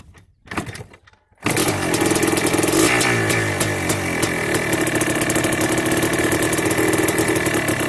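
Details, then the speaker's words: Yamaha Blaster 200cc two-stroke ATV with FMF pipe, carb retuned with needle, clip and pilot air screw: fires after a short pause, then a raspy idle burbles slow and lazy; idle set too low, to be raised. "I might turn the idle up a little bit higher because she's a little bit low."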